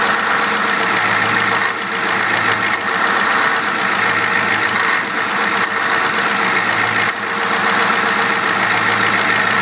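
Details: 7.3 IDI turbo diesel revving, with clatter that stumbles roughly every second as the beat briefly drops out; a misfire, bad injectors suspected but not confirmed.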